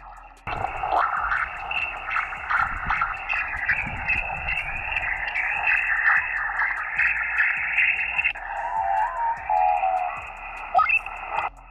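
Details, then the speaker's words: Victron SmartSolar 75/15 MPPT charge controller heard on an HF ham receiver on 40 meters: a steady buzzy hiss with whining tones swamps the whole band. The noise is switching ripple from inside the controller, and it is worse on 160 and 80 meters. "in fact the ripple from this charge controller wipes out entire Amish radio bands this is a complete no-go for any type of weak signal work unless you're using for example a narrow bed with js8 coal or CW"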